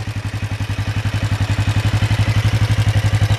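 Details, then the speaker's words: 1996 Kawasaki Vulcan 500 V-twin after carb service and an oil refill of about three and a half quarts: deep, even thump about ten beats a second at idle, steady with no clatter; carbs not leaking, no smoke, running well. "it's running pretty good carbs are doing good they're not leaking or anything it's not smoking pretty good running bike actually"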